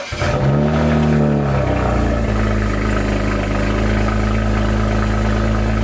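Engine catches with a quick flare, then settles into a smooth, even idle with a steady low hum and no knocks or misses.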